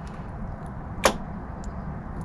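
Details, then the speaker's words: Rover P4 overdrive, after repair, car in fourth gear with ignition on and overdrive switch down, near the relay: one sharp, loud click as the solenoid pulls in; before the fix only a faint relay click. "now you might have heard a click then there's quite a loud click which was actually my solenoid working because I fixed it"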